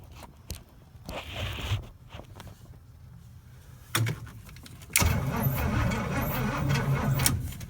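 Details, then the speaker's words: 1972 Pontiac LeMans GTO, 350 Pontiac engine, TH400, sat over a decade unused since 2003, cranked by bypassing the neutral safety switch: starter spins engine at an even chug but it never fires; owner suspects mud-filled gas tank; crank no start. "okay that's good news so basically the engine turns over now um i'm pretty confident the gas tank is full of mud"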